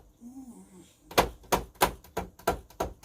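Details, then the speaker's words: Nektar Panorama T6 MIDI controller played with sound off: sharp plastic clacks, about seven in two seconds, as each key is released and springs back onto a hard stop; noisy before the mod. "so all you're doing is listening to the the clicking of the keyboard so you get this kind of hammering"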